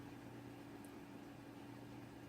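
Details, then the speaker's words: Newly built desktop PC running Windows 8 with an older NVidia Quadro card: soft, steady fan hum with a faint low drone and no ticking, rattling or surging; very quiet, normal running. "system is very quiet I mean it's not silent or anything like that but very quiet"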